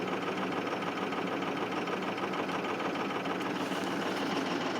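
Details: 2005 Ford 6.0 Powerstroke diesel, cold at 17°F on fast idle, injectors 1 and 5 bad: rough, uneven clatter with a stumbling beat; injector misfire.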